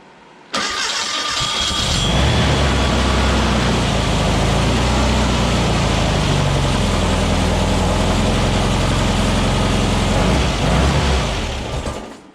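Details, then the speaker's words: Freshly built VW air-cooled engine on a run stand after cam break-in, with Empi 34 ICT/EPC carbs, cold start after a couple of throttle pumps: catches right away and holds a strong, steady idle without stumbling, popping or knocking. "Now we'll turn master on, coil on, and this is a cold start."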